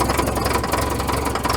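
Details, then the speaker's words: Caterpillar 922B loader diesel that sat over a year, cold start after about 20 seconds of glow plugs: catches and settles into an even, knock-free idle with regular firing pulses; cold start and running healthy. "this thing runs excellent that thing cold starts better than half of my good stuff let's let it warm up for a minute"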